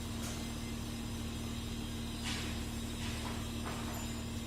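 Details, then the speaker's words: Porsche Cayenne diesel (2011–2017), after swapping a relay to fix no-start and no ECU communication: steady, even idle with a low hum, no knocks, misses or surging. Faults cleared, engine control unit now scans, car OK. "जो engine control unit पहले तो scan नहीं हो रहा था तो scan हो गया है और गाड़ी ओके हो गई"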